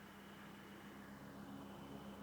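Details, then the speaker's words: ILG exhaust fan, 115 V, run via a 230-to-110 V adapter, no motor housing or guard, designed for constant commercial ventilation: quiet, even hum with a faint steady tone near 200 Hz and an airy rush, nothing knocking; normal running. "a breeze. And that was just designed to run constantly to ventilate commercial properties. So it really was a set and forget kind of fan."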